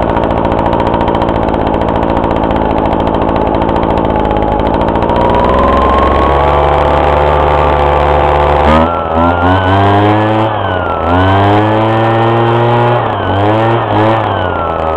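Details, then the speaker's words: Husqvarna 125BT backpack blower two-stroke, cold start after sitting about a month, primed and choked, 50:1 mix: starts on first pull, even buzzing run, revs up and down cleanly; healthy. "Yeah, that was good. It started in one pull. It's been sitting for about a month, so"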